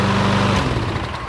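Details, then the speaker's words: Long-stored, low-hour Lawn-Boy mower, fresh gas and oil in range, started on second pull: smooth, even, quiet buzz with no misses or knocks, running healthily. "This is the smoothest running little engine that I've heard in a while. I'm speechless."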